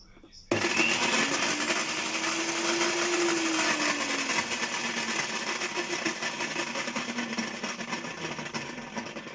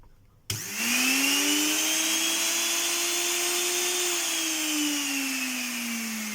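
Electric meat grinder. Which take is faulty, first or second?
first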